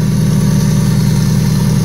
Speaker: Yeah, it sounds good.